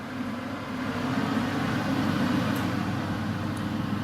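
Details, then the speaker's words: Beko HCA62541B kitchen range hood fan switched to maximum power: steady, even airy rush with low hum, no rattles or rubbing; fan runs smoothly at full speed. "Wyłączony. Jest maksymalna moc."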